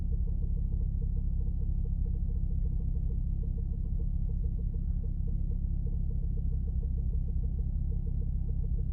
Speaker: okay so you guys heard that no of course I start filming after I start the car but for the first time there was no manifold squeal